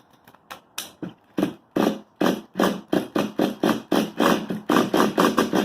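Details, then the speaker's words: XTM X Factor nitro rock crawler (2004) with a new XTM 24.7 engine, low-speed needle just adjusted, possibly not warmed up: short ragged firing bursts that die away and keep stalling. Still being tuned; cause not confirmed. "so it did cut out the adjustment now but i mean it's just still still getting in the tuning process"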